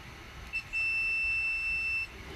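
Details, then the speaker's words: Yamaha XJ600 motorcycle no-start diagnosis, multimeter continuity test on a removed fuse's tabs: one clean, steady high beep over a second; continuity confirmed, fuse intact. "So now that shows me there's continuity between it and there are no breaks."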